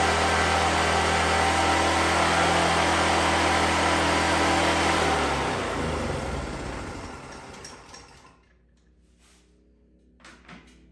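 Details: 2014 Black Max generator with carb work done and about 97 hours on the meter, started on choke in cold weather. Steady, even drone for several seconds, then winds down smoothly to a stop. Normal running.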